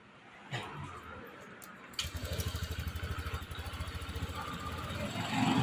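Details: Honda Click 125i scooter, dead for six months: the engine catches at once and settles into a quick, even putter. Normal start and idle.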